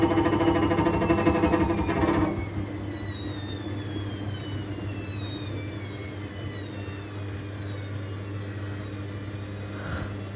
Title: Washing Machine was Unbalanced, Horrible Rattling Noise